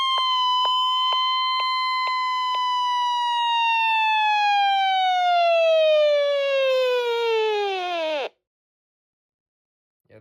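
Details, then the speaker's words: Alert test on a NOAA weather radio powered by a borrowed WR120 power cord: loud pulsed high tone near one kilohertz, sliding lower before cutting off sharply; alert siren working normally. "And let's do an alert test."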